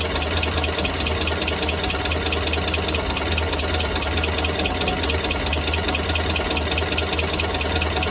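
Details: Engine at steady idle after an exhaust leak was fixed: fast even ticking over the engine note throughout; abnormal idle noise, source not yet identified.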